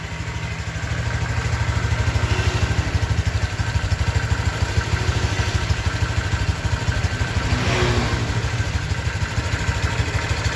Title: Bunyi mesin Honda Vario 125 new 2023 di KM 1000 an ‼️